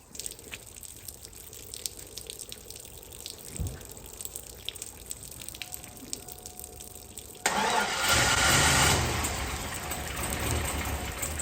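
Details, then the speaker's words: 1999 Chevy Silverado, junkyard 5.3 V8 with BTR stage 2 cam replacing blown engine, primed, freezing cold December first start: after seconds of cranking it catches and roars up but the beat wavers and stumbles; runs rough, cause not yet found. "thank you oh it ran rough but it ran so I'm gonna go over some things real quick and see if we can get it to run right"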